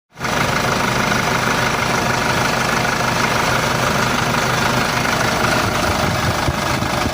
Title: 4jh1 Isuzu issue knocking sound replacement nozzle tip